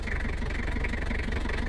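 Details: Toyota Kijang Kapsul LGX 2L diesel after valve clearance adjustment: even, regular clatter at steady idle with no extra tapping, normal idle.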